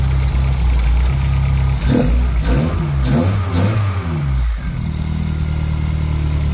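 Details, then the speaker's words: Two-door car with a no-start condition, running after a new part was fitted and plugged in. It catches, takes a few throttle blips, then settles to a steady, even idle with no misfire: nice and smooth. "all right let's try and start her up nice and smooth [Music]"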